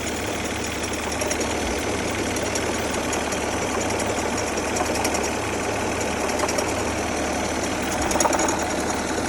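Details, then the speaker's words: 2003 Saturn Vue idling with a busy, rattly knocking clatter from the front-end accessories; owner believes the AC compressor is shot, with the system recently charged and the condenser replaced, but exact source unconfirmed. "I believe it's the AC compressor. The compressor is shot. It's just the pulleys, but that's recently charged."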